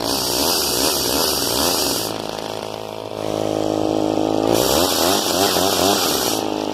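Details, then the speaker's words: Old Craftsman chainsaw with 18-inch bar, manual oiler and decompression valve, after cold start: buzzes high and revs in bursts, easing to a burbling idle between, picking up without stumbling; running normally. "Fire it up. Cold start, by the way. Hit right there."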